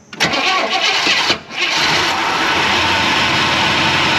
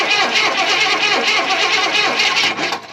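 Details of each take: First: 1994 Chevrolet K1500 Blazer, first start since 2007 after new gas tank and fuel pump, on jump pack: cranks briefly, catches, stumbles once, then settles into a steady even idle with no knocks and no smoke. Normal start and idle. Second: 1994 Chevrolet K1500 Blazer V8, sitting since 2007, new gas tank and fuel pump, on jump pack, waiting for fuel pressure: starter turns the engine over at about three uneven beats a second but it never catches. Crank, no start.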